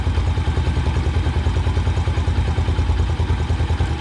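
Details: Motorcycle single-cylinder carburetor, mixture screw turned to point of maximum idle rpm: steady idle thumping about three times a second, even and no longer climbing; mixture screw at peak idle.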